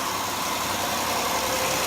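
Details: 2002 Hyundai Santa Fe idling after alternator replacement; the old alternator whined from internal rubbing. Now an even, steady idle hum with no whine or tick, engine and charging running smoothly.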